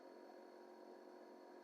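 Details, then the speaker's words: VW T25 Westfalia camper's diesel-powered heater blower spinning up normally after a leisure battery replacement brought it to 12.5 V; the heater had kept shutting off from low voltage; a quiet steady fan hum, no rattles. "so you flick it on whether you can hear it or not you can hear a fan come on and if it's got good enough voltage you'll hear a ticking noise limit which is the diesel fuel pump"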